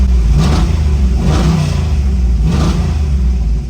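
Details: Buick Grand National being tuned: the engine rumbles through three rising pulls, each stumbling and breaking up under load. The misfire was traced to poor ignition coil packs.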